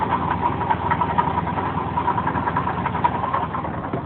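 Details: 3.8 L V6 idling: steady, rapid knock that sounds like a rod knock, but the cause turned out to be a failing water pump.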